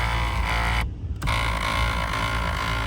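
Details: 2014 Kia Cadenza driver-side power seat: steady rough grinding drone as the seat moves along its track, briefly cutting out, much louder than the smooth passenger side; power seat track grinding.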